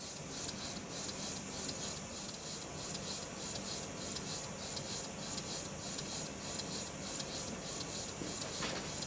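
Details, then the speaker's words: Restored Stuart beam engine run on low-pressure compressed air after fitting a silicone O-ring piston and adjusting slide valve timing: soft regular exhaust puffs about 100 a minute, no knocking; running well. "that seems to be running quite well"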